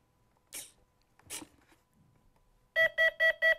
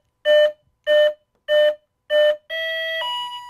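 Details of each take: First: FMS 1400 mm P-51 Mustang ESC on battery plug-in: a few handling noises, then fast repeating beeps about five per second; ESC warning that the throttle stick is not at its lowest position, cleared by lowering the stick. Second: FMS warbird (P-51) ESC after throttle stick calibration, battery plugged in with the throttle at the lowest position: four even beeps, then a longer two-step tone. Normal ESC initialization; the ESC is armed and ready.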